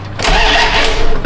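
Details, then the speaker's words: 1992 Dodge Ram W150 4x4, 5.2 engine, fuel delivery no-start, cranking after relay wiring repair (pin 87A), not expected to run: quiet, then the starter spins the engine briskly with an even churning rhythm; normal, strong cranking. "And technically, if we turn the key on and we hit the button, it should crank. It shouldn't run, but it's gonna crank."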